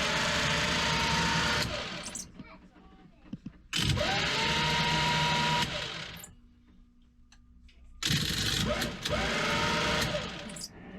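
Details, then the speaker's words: Sailboat electric bow thruster after brush work, tested both ways: three roughly two-second bursts, electric whine spinning up cleanly with water churn; thruster runs freely, back in business. "Yeah? I think you're back in business."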